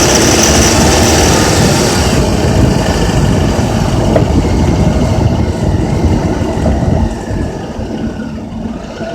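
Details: Honda Accord K24Z3 petrol engine with a busy rattling clatter over the engine note between 2200 and 3000 rpm.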